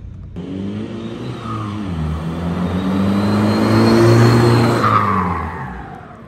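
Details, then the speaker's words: 2002 VW Jetta, 1.9L ALH turbo diesel, new turbo and custom stainless cold air intake, revving up and down. Loud, clean intake roar and turbo whoosh rising with boost; sounds like an 18-wheeler from the driver's seat. Healthy. "intake man I I could I can't believe it I cannot believe it just just making a a stainless intake just a stainless intake just using my time and that extreme noise that it makes now I mean it sounds like a freaking 18wheeler from the driver's seat"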